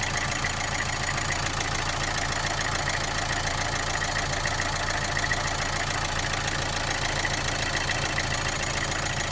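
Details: Opel Astra J 1.7 CDTI diesel at idle after an oil change: a steady knock about twice per second over a slightly shaky hum, with vibration; runs well with no smoke, source unknown.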